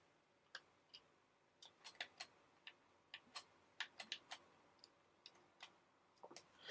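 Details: PlayStation One SCPH-7502 testing with Star Trek Invasion disc: faint irregular sharp ticks several times a second in a quiet room, the drive seeking repeatedly without reading the disc; cause unclear.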